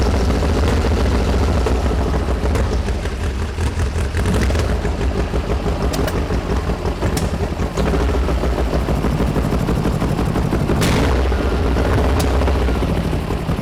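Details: 1973 VW Super Beetle with an air-cooled engine of about 1900 cc, 40 IDF carbs, erratic distributor: lumpy, uneven idle with an irregular beat about three pulses a second and sharp pops; a cylinder is misfiring, and valves or carb are suspected.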